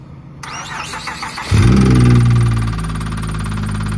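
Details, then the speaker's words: 2008 Acura TL Type-S after sucking up water from a puddle: starts and idles with a dull low knock steady with engine speed, owner suspects bottom-end damage rather than spark knock; engine knock. "I thought it was going to be a spark knock but um it sounds like it's in the bottom and it sounds like it washed a baron out"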